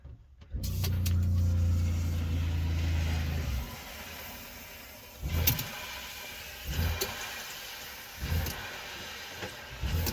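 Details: Kea motorhome water pump with tap closed, good 14 V supply: steady low hum then quick pulses about every 1.5 seconds, short-cycling against a leak later traced to a cracked fitting.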